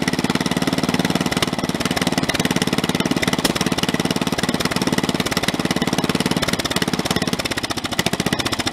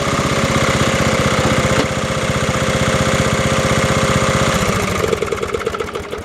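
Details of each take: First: Snapper 30083 rear-engine rider, abandoned in woods 20–25 years, on its first start in 2022: a fast single-cylinder chug with a hard shaking rattle. Runs healthy but vibrates extremely badly; the owner says the fitted flywheel is off a synchro-balance engine. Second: Snapper 30083 rear-engine rider, refurbished in 2026 after 20–25 years abandoned: a single-cylinder engine thumping steadily at about three beats a second, then settling as throttle drops. It runs smooth and healthy and drives again.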